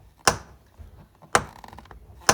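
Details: Opel Omega B door making three sharp clicks about a second apart as it swings, caused by a worn door check strap bushing, which needs replacing.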